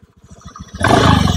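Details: Honda Beat CVT (gen 3), after a rough CVT was repaired, throttle worked from the throttle body: small single putters evenly at low throttle, then rises smoothly as it's opened, with no rattle or grind from the belt drive; sounds healthy.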